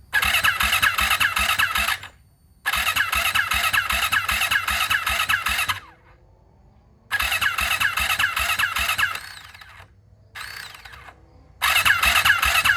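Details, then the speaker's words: Freshly rebuilt turbo Yamaha YZ450F now 500, E85 fuel at about E78, fuel pressure primed, battery good; first start attempt: repeated laboured uneven cranking bursts, two to three turns a second, never catching, struggling to crank from incorrectly timed cams. "Shortly after that last clip, I basically went through a head scratching situation because, as you could hear in that last clip, the bike, it was like struggling to crank."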